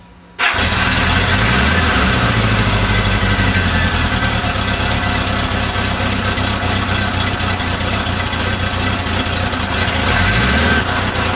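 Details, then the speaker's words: 1976 Honda Goldwing after rebuilding its mechanical fuel pump with a new diaphragm, choked, tank on reserve so the pump must feed: quick crank catches straight away, then a steady even idle with no misses or knocks; running fine. "Okay, it's running, seems to be running fine."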